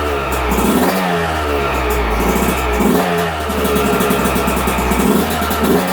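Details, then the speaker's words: 2022 Yamaha YZ125, about 30–40 hours, after a top-end rebuild for a broken stock cast piston and lost compression; first fire on choke: crisp two-stroke crackle at a steady warm-up idle with light blips and no rattles; healthy. "Well, she's a runner."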